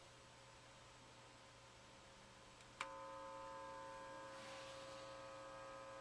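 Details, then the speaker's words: Harley Benton TE-80 guitar after copper-tape shielding of control cavity: steady low buzz with higher whine persists unchanged, single click midway; residual hum, owner suspects single-coil pickups and would need different pickups to quieten it. "so obviously I guess if I want it much quieter than that I'm going to have to look at some different pickups"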